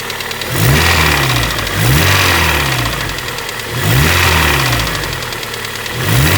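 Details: Honda Prelude, engine revved with repeated throttle blips: a light hollow tapping rattle on each rev, first thought to be head or cam noise, confirmed on teardown as piston slap from a broken piston skirt that left the wrist pin unsupported.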